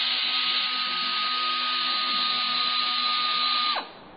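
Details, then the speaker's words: Dotco air belt sander, rated 12,000 rpm, on a small compressor: high steady airy whine drops sharply and fades as air is cut; normal wind-down. "that's about all our compressor is gonna take um you can hear is winding down"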